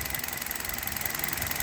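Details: Hot Hyundai Solaris idling on Liqui Moly Molygen 5W30 after about 2000 km on this oil, with Chinese coil wiring harness fitted: smooth idle, crisp even injector ticking, no deeper knock; normal.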